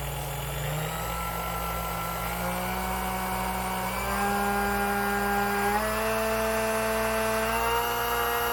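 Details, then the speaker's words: Sunbeam Mixmaster Model 12 after replacing a broken part; steady motor hum climbing cleanly through the speeds, pitch stepping up smoothly without grinding or stutter. Runs like new; normal motor running. "Alright, so as you can tell, it runs like new again."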